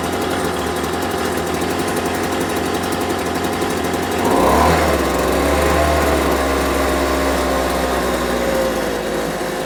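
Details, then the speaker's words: Homelite UT08572 small two-stroke, just restored and not yet warmed up, burbles at a low, uneven idle, briefly picks up, then sags; idle set too low, and it stalls on its own. "like the idle's a little bit too low. Okay, that's a two minute mark. But fact that died on its own is not a great sign."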